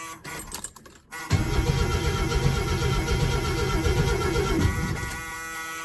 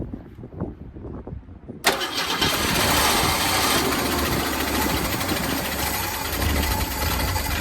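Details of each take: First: 1937 Plymouth sedan project car, 100,000 miles, after retightening the starter solenoid cable: starter spins the engine strong and steady at about four pulses a second for three seconds; normal cranking. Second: Old 1971 Ford Torino V8 being bottle-fed from a gas can because of a fuel delivery problem, not spark plugs: fires abruptly and runs loud and uneven, surging and sagging from fuel starvation; no valve train noise, small exhaust leak.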